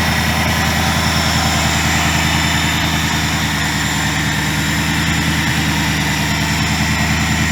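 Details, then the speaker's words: 2000 Ford Mustang GT with a Lincoln Mark VIII 4V swap engine, idling after fixes for earlier sputtering (intake air controller change, ECU board cleaned with electrical cleaner). Deep, even V8 burble at a steady idle, no stumbles, misses or surging: smooth idle. "all right so as you guys can see this thing is running much better"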